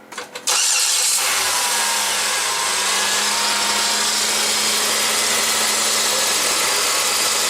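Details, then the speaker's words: 2008 Chevrolet Impala after replacing the rusted, leaking transmission cooling line at the radiator fitting: short crank, catches cleanly and settles into a steady even idle; normal start, no leaks found. "Yeah. Yeah. Well, it looks like there's no leaks."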